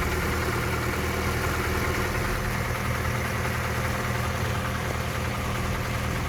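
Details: 3S-family engine in a VAZ 2121 (Lada 4x4) at idle: faint fast irregular tapping near cylinders 3 and 4, by the camshafts or lower; valve clearances, gear and cam beds already checked; top-end engine knock, source not pinned down.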